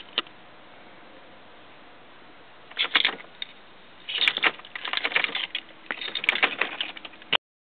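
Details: 1994 BMW E36 318is won't start though the battery has power: dash lights blink on and off, rapid bursts of clicking from inside the car with no cranking.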